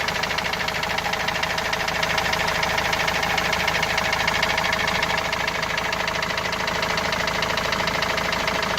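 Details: Opel Movano/Vivaro common-rail turbo diesel that also leaks oil: a hard, hammer-like knock repeats steadily about three times a second at idle; the noise began two to three weeks ago and its source is still unknown.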